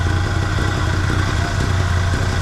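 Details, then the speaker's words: 1974 Chevrolet C10 pickup, small-block V8 off the road over 10 years, on ancient fuel: low lumpy loping idle with clatter; timing is off, engine runs better with more advance (vacuum advance on manifold source), vacuum gauge reading not great. "All right, I can tell you right now the timing is off. So two things I just learned. It's running better with more timing."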